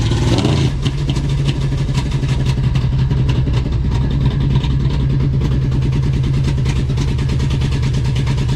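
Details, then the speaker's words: 1970 Dodge Charger 383 V8 with oversized 950 Holley 3-barrel carburetor, flooded and previously shooting fuel: loud, lumpy idle with uneven stumbling pulses and wavering beat; running far too rich, carb too big for the engine. "No, the engine sounds like absolute hammered dog shit. It's running pig rich for reasons I can't even explain."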